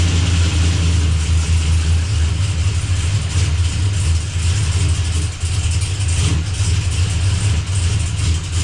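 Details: Blazer after transmission and transfer case reinstall, fluids topped up: steady, even low rumble with no knocks, slips or clunks while the shifter is cycled through all gears to circulate fluid; no leaks, engine and transmission sound healthy.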